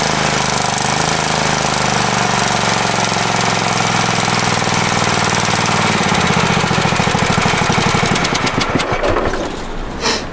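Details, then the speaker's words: Free Craftsman riding mower, reportedly non-running, with a newly installed battery: the single-cylinder engine thumps along steadily, then slows and stops. It starts and runs fine; the fault was the missing battery. "Well, that's awesome because he said it didn't run. Yeah. Sure enough, battery issue."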